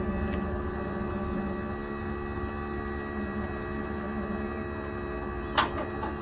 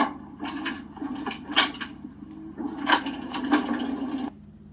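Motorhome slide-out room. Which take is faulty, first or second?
second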